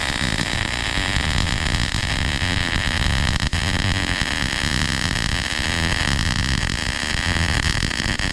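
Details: MIG weld, loop technique with steady rhythm, consistent stick-out and steady forward movement, wire clipped before starting: continuous, even frying crackle with no pops or gaps; a steady, well-tuned arc making a straight weld.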